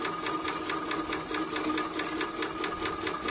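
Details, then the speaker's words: Maxitrak 5-inch Alice steam locomotive feed pump, run on air with the boiler blown down and the bypass operated: even, steady clicking about four strokes a second over a light hiss. The pump is working normally. "that's actually the pump pumping now and that's it open but because this one's actually making the right noises i'm now going to fill it up with cold water"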